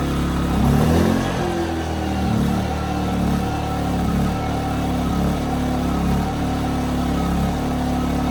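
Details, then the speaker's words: 15-month-old Ryobi RYI2300 inverter generator, after tune-up, 400 W load with auto idle: engine speed rises and sags every second or so, hunting surge under light load; owner suspects carburetor, not confirmed. "so that was it the 400 watt load was causing it to surge with the auto Idol on and off which is interesting to me because with a blow dryer on low it's about 700 to 800 watts I don't think it's surges at all"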